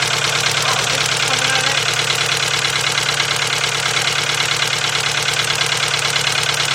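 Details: VW 2.0 engine running rough after a fuel pump change: idle with a regular stumble about three a second; cylinder 1 misfire, not caused by the plug wire.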